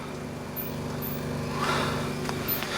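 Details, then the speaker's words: Antique Kelvinator fridge after rewiring and earthing; steady low hum with soft gurgle of refrigerant boiling, even run with no knocking; compressor working normally. "yep refrigerant's boiling in there that's working nicely right"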